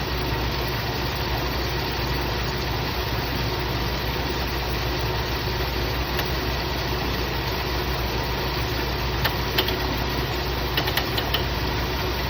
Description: Is this sound coming from the ac clutch or the compressor?